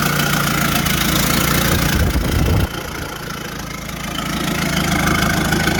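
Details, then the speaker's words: Big-turbo Courier diesel ute after rebuild: lumpy, low throbbing uneven idle with a dip partway through, never settles to steady idle; fuel governor suspected, not confirmed. "at the end of the day we weren't actually able to get it to idle properly just there's something wrong with the fuel governor"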